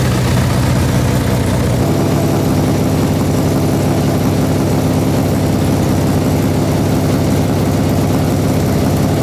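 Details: 1972 Honda CB350F four-cylinder, sat 20+ years, big-bored to 400cc, first start after rebuild on choke: loud steady idle with slightly uneven, lumpy beat; rough idle.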